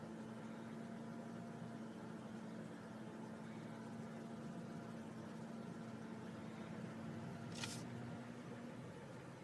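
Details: 2002 Honda CR-V: a steady low cabin hum at one pitch during idle. It is absent on a cold start, appears after a few minutes of driving around 800-1500 rpm, and comes with no check engine light.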